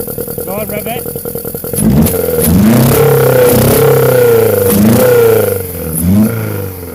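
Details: Honda Civic EF with B18C4 swap on OBX individual throttle bodies, first startup: uneven choppy idle, then blips climbing unevenly with stumbles and flutter, rough through the revs; owner suspects the ECU is too far from standard and will try a different ECU.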